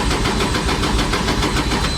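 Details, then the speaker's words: Drift car with a cold engine cranked for a drive to a Vegas drift event. A long, steady cranking churn with even pulses turns over but will not catch. The owner says it is so cold that it takes a lot to start and fears the battery is dying. Cause not confirmed. "i know she about to be cold so she's not gonna fire up first go let's see come on baby how many rotations it's gonna take come on"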